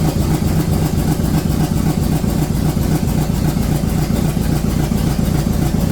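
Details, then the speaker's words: Rebuilt Corvette engine on its first start after valves stuck open from rocker preload were fixed by lifting rockers 3/4 turn: loud, lumpy idle with stumbling, uneven pulses; rough running, cause unknown, more fuel suspected. "Something else is the matter. Yeah, that thing needed to go in quite a bit, huh? All right, one more time, more fuel probably."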